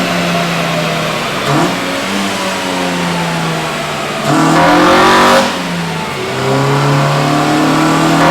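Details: Honda EM1 all-motor build during tuning, currently stuck at 158 on unknown fuel: hard pull with climbing tone, then a sharper howl as the cam switches over. Healthy VTEC engagement at wide open throttle.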